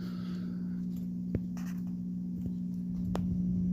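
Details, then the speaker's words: Vintage Edison infinite-speed box fan model 204016, dial fully down to slumber quiet speed, drawing 22.8 W, 0.74 A: low, steady mains-type hum with faint clicks, no wobble; motor running smoothly at its slowest. "You can kind of hear the humming. That is very slow."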